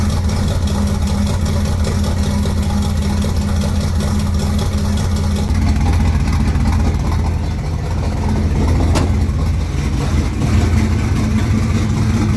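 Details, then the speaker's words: 1971 El Camino fired up after sitting unstarted a long time; steady, even low rumble with smooth regular idle beat, no knocks, ticks or misses; healthy idle. "I am so ready to just rip this thing right now, but it's amazing to hear it fire up."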